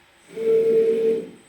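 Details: Homemade giant CNC machine with a MASSO controller, axis jogged after homing (moves up from zero): a smooth steady hum rises, holds about a second and fades, with an even tone and no grinding. Normal axis jog.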